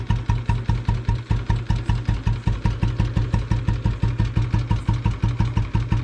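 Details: Bullet motorcycle idling after being restarted following a long layup. A steady thump at about six beats a second with a hard clatter on each beat. Owner says a rod sound appeared after a short 2 km ride: suspected connecting rod knock.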